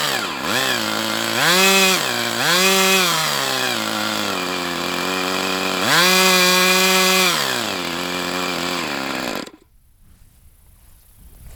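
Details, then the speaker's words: Brat 28 model engine with low-speed needle leaned out: buzzing engine surges up and down, then sags at low rpm and cuts out abruptly; owner suspects internal drag too great to overcome at low rpm, unconfirmed. "It's almost like it gets to a RPM level that's so low that the whatever drag is is induced in this engine is too much for it to overcome."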